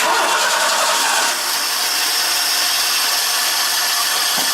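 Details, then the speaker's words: 1986 Ford F-150, about 170,000 miles, 4-speed with overdrive, being restarted: cranks and catches into a ragged, stumbling idle; misfire caused by coil/plug wires for cylinders 2 and 4 swapped. "I guess I can hear it now. It is misfiring. Probably something to do with the timing. Alright, so the problem was the coil wires for cylinders 2 and 4 were backwards."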